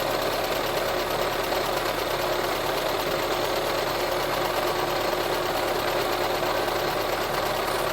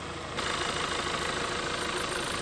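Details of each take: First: VW Touran 1.4 TSI (supercharged and turbo) petrol engine idling after engine reassembly: light, fast metallic rattle, first suspected as the chain/tensioner, traced to a worn water pump pulley with play. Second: VW Touran 1.4 TSI petrol engine idling steadily after final engine reassembly, with an even hum and no knocking, grinding or squeal; the water pump side no longer makes any suspicious noise.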